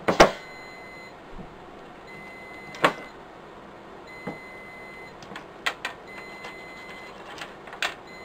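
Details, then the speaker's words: Riello DVD 2200 2U UPS with worn-out batteries: a thin, high electronic beeping alarm in long stretches with gaps, sounding for about two weeks, over knocks from handling, before battery replacement. "as you can hear that beeping has been driving it mad now for about two weeks"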